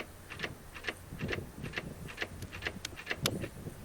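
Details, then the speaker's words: 2019 Honda Africa Twin that wouldn't start after being dropped in icy mud: dry light clicks about twice a second with no cranking or firing; no-start, battery disconnect and rolling start didn't help, cause not traced. "so we got it back up and we started to get ready to go and get geared up so we can drop down the mountain and then this happened that's not a good noise"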